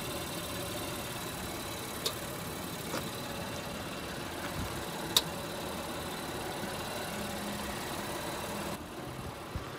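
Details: 2022 Acura MDX A-Spec at low mileage, driven over a year: over steady road and engine noise, sharp isolated clicks a second or two apart while steering in drive, not in reverse; front drivetrain clunk/click, source unconfirmed, an earlier attempt didn't fix it.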